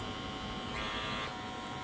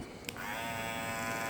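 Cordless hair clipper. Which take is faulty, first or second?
first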